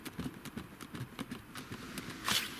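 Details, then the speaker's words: Land Rover Discovery Sport, while driving: light, irregular plastic-and-metal tapping from loose seat belts rattling against the interior trim; owner suggests they may be tightened. "So it's like through use, the seat belts have become slightly loose, so they're more prone to rattling."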